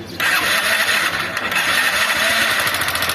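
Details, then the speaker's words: 160 cc motorcycle running with a thin, high-pitched metallic rattle and no deep knock. The mechanic judges it a worn piston/cylinder kit, possibly also rocker arms, not a connecting rod. "Ih, rapaz, isso é kit cilindro, ó. Kit cilindro. Cilindro. Ó, quando o barulho tá fininho assim, é kit de cilindro."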